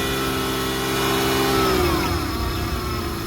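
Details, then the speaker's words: 2006 Hyundai Tucson running after alternator replacement, started with a jump pack off a dead battery: a steady run with one smooth rise and fall in pitch and no stumbling. Idle is oddly high but the engine keeps running fine on its own. "There's a very high idle for some reason, but I'm going to take this off."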